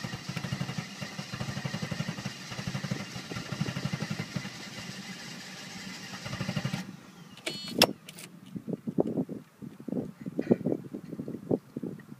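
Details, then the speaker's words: 1990 Mercedes 300SE 3.0 straight-six that has been sitting: steady cranking for about seven seconds without catching, a hard cold start. It is also low on power but shows no blow-by; the owner suspects fuel adjustment or plugs/cables, and starting fluid usually fires it. "here's a video of it running it's a little hard to start it's a little bit low on power i'm not sure exactly why"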